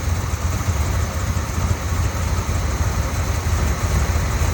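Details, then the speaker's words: 1972 Corvette 4-speed V8: low, lumpy idle with uneven pulses that rise and fall and stumble; runs on poor fuel, expected to run better with fuel that atomizes. Rough idle. "that sounds a little better it'll run better when we actually get fuel in it that likes to atomize right now you're just making it run on like zero cool"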